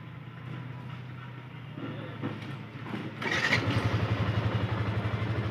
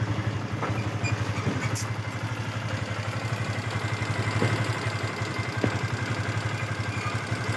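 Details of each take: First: Yamaha FZS V2 at 437 km after tappet and timing chain adjustment: steady, even single-cylinder idle with a regular beat and no tappet tick or chain rattle; engine now sounds smooth and healthy. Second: Yamaha FZS V2 at 437 km, idling: light, uneven metallic ticking over the low engine thump from loose tappets and a slack timing chain, blamed on rough riding without a proper break-in period; tappet and timing chain adjustment needed.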